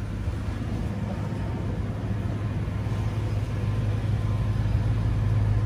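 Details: BMW M3 4.0L V8 runs with a smooth, even low rumble and no misses, knocks or ticks after the no-start was fixed by epoxying the loose starter trigger connector; the starter is about seven to eight months old.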